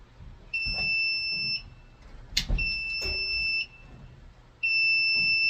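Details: Apartment fire alarm panel before backup battery replacement: a shrill two-tone beep in roughly one-second bursts with quiet gaps and some handling clatter. This is the power-trouble alarm from failing backup batteries with a nearly corroded terminal.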